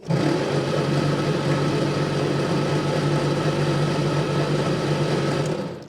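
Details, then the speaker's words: 1954 Austin A30 barn find, laid up since 1971, engine previously seized. Spark confirmed at each plug. A steady starter churn for about six seconds with no firing; cranks but won't start. Carburettor suspected faulty; easy-start to be tried. "I'm going to put some easy start down the balls cuz I think the carbs banged up see what happens that doesn't want to start"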